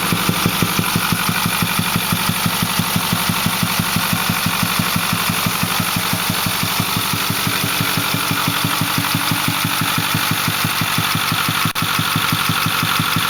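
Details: Ford 6.4L diesel, 208,000 km (129,000 mi), Banks 6 Gun and Ram Air cleaner, runs smooth with full boost: steady pulsing thump about twice a second over an even idle from the intake; cause unknown.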